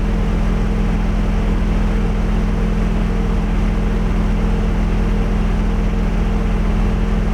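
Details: Nissan 240SX S14 with a KA24DE, idling: even, steady idle with a smooth low hum and no knocks or misses. The engine sounds healthy and settled.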